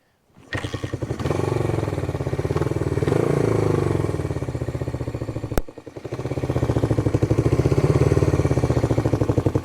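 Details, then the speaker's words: 1973 Honda CB360 project run from a makeshift fuel tank, clutch seized: twin runs with an uneven, lumpy beat about four pulses a second, surging and dipping, idle sticking at times; running rough, cause unclear. "Okay, so we have this guy running. It's not running very well. Idle seems to stick every now and then."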